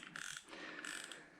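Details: Daiwa Crosscast 5000C QD reel after replacing factory drag washers with carbon washers and cleaning excess grease: crisp evenly spaced drag clicks as line pulls off, tight with no skipping or grinding; drag working properly and sounding better.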